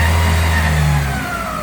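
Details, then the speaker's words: Opel Astra G 1.8 16v after a full timing kit job (belts, rollers, water pump, seals); engine revs then falls away with a thin whine dropping in pitch. Abnormal noise when revving. "On entend ce fameux bruit. Je sais pas si on va entendre. Bizarre, hein, je sais pas."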